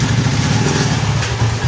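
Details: TMX155 single-cylinder motorcycle after reassembly fix (clutch-side gears levelled): steady low thrum pulling evenly in first gear after clutch release, no grinding or scraping, unlike the loud noise before; gearbox sounds healthy.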